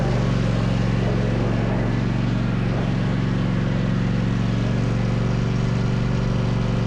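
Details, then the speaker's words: Rescued zero-turn mower running after repair, with the pulleys checked and the rear carrier pinned on. Steady, deep, even engine drone with no knocks or misses; this is the sound it's supposed to make. "That's the sound it's supposed to make."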